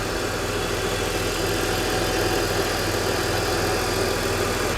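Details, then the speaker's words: 21-year-old early BMW E60 at idle after coolant leak repair with new water pump: steady even idle, smooth low pulse, no squeak or chirp from engine front; slight squeak at first, maybe dirt on rollers, water pump no longer squeaking. "It slipped a little or something, but I don't think the water pump is squeaking anymore."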